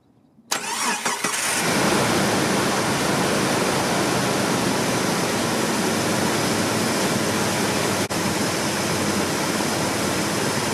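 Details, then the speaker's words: WJ Jeep Grand Cherokee after repairing cracked EVAP lines for an EVAP leak, codes cleared, just started: cranks, catches and settles into a steady even idle, no hissing at front or rear; sounds normal. "I don't hear any hissing up here. I don't hear any hissing up in the back. That's think it's the way it's supposed to sound."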